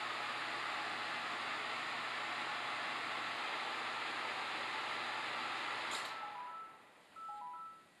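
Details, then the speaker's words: Samsung combination microwave and oven after magnetron replacement, run out of its cabinet for 30 seconds with a cup of water: steady fan rush and low hum, no buzzing, then it beeps; water warms, repair successful. "Well, there's no buzzing noise. I can hear the fans, but it's because it's outside of the cabinet."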